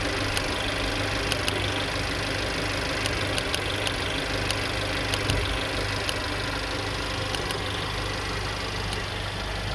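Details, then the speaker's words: Mercedes-Benz A200 with no power, misfires on cylinders 2, 3, 4 (P0300): sharp irregular snapping ticks over uneven idle, spark arcing audible at cylinder two ignition coil. "y si se dieron cuenta y si se dieron cuenta a compañeros en el acercamiento que pudimos realizar a la bobina del cilindro número dos se alcanzaba a escuchar él el brinco de chispa del arco voltaico"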